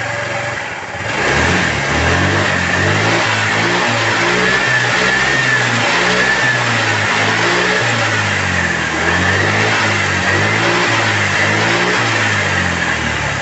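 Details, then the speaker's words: Reassembled Honda Vario 110 engine, after oil and coolant fill, being revved; smooth, even hum that swells cleanly with each throttle blip, no knocks or rattles, and a clean exhaust; it once sounded like a wreck and is now very smooth. "Bagaimana bunyi mesin motor ini waktu baru hidup seperti kapal pecah sekarang sudah sangat halus"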